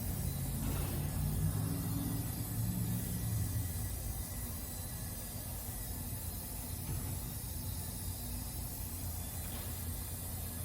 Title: Volvo EC480EL crawler excavator Volvo D13 engine exhaust leak issue #mechaniclife #canadalife